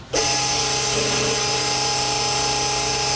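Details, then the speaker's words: HAAS UMC 500 5-axis CNC high-pressure flood coolant pump, uncovered: loud, dead-steady high whine with strong hiss starting abruptly; reportedly functioning as it should, normal. "one of the most obnoxious things about this whole system that every person in this facility is annoyed by is how loud the coolant pump is on this unit it's so loud that during installation we questioned is this pump running properly is it running right the response was that it is and there's nothing they can do with it because it's fully functioning the way it should be"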